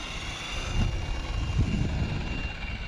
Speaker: gears are sounding good